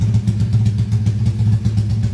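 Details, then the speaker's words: Rebuilt motorcycle engine under warranty repair after failure, crankcase repaired and all parts reconditioned, idling just after first start while still tight and running in, revs not yet raised: even, steady low putter with no knocks or ticks, smooth. "semua spare part sudah dikondisikan, sacet hidup. bisa didengar sendiri suara mesin halus ya."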